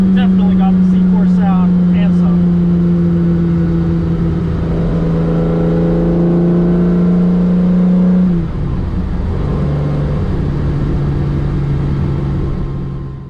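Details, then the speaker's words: Ferrari 365 GTC/4 after carburetor strip-down fixing non-functioning accelerator pump jets, fuel leak fixed: crisp blip climbing cleanly, holding a steady high note, then dropping back smoothly; sharp, healthy throttle response. "that's a good sound C4s always have a great sound this one's so much more"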